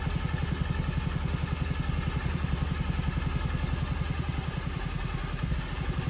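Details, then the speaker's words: Toyota Auris diesel, crank no start with P1604, misfuelled with a little petrol, bled to the fuel filter: even deep starter chug about 2.5 turns a second, no firing, held long while rail pressure builds; injectors fire only at 200 bar, then it runs. "now injectors won't fire until this fuel pressure sensor hits 200 power so that's the magic number"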